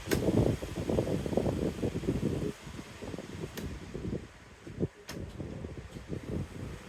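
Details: High-speed pedestal fan, unused two months and running slowly, after replacing the capacitor with a new 3MFD square type; low steady whooshing of blades with some buffeting and light clicks, no hum or struggle; runs normally.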